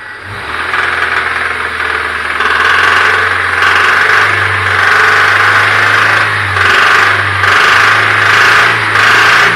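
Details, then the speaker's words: Honda Civic fastback engine at idle: loose, uneven knocking at roughly three a second riding over the idle. Worn connecting rod bearings are knocking. "вот так уж дико стучат шатунные вкладыши в этом психики сейчас заниматься ремонтом"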